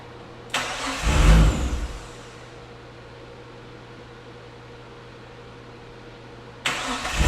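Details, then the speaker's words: Nissan Skyline R34 turbo on a dyno, tank run dry while the fuel gauge didn't read empty: cranks, fires briefly with a short surge, then dies and cranks again; won't keep running from fuel starvation, fuel then added. "All right, so we diagnosed a bit of a fuel issue here. Actually very simple. The gas gauge wasn't reading quite empty, but obviously the fuel tank was empty, so we were adjusting fuel pressure."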